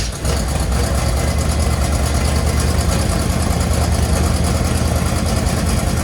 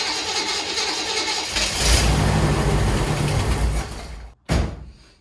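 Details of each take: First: 1963 Chevy Impala V8 idling after carb gasket and fuel work, with idle turned up: steady, even low rumble without stumbles or knocks, running much better than before; normal smooth idle. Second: 1963 Chevy Impala, very cold weather, after retightening nuts: cranks, catches, runs a couple of seconds with a rough lumpy idle, then dies and coughs once; idle likely too low, to be turned up.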